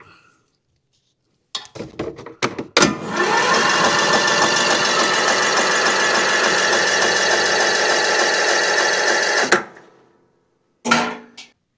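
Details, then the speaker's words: Cub Cadet CC30 H riding mower, MTD Power More engine, crank no start, coil air gap checked, battery seeming low: about seven seconds of even cranking at roughly three and a half turns a second, never catching; no spark, ignition coil bad and needing replacement. "you can definitely tell that battery seems low but turning over you should still see a spark coming out of this ignition coil we're getting nothing that means our coil is bad"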